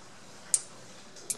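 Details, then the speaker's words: Oil-filled electric radiator with its temperature safety switch bypassed by a nail across the two wires, heater elements powered: two sharp little ticks over near silence, the normal crackle of oil heating up. "see if I hear bubbling sounds of oil being filled up and and the heater elements here being powered"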